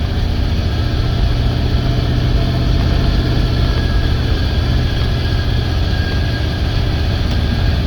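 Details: 1989 Chevy C60 school bus conversion pulling uphill under load after idle adjustment, new fuel pressure regulator and inline filter: deep, steady engine drone, smooth and even with no stumbling, bogging or backfiring; fuel pressure holding, runs healthy.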